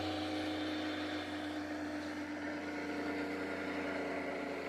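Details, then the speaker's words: Rig with rebalanced rotor drum cylinders, coils not connected, freewheeling after the belt came off at about 7600 rpm: smooth, steady hum slowly easing as the rotor coasts, no knocking or wobble; well balanced. "going that's freewheeling right now it's the mass slowing down so there's no coils in there"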